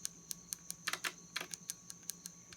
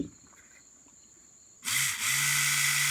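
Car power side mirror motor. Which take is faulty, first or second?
first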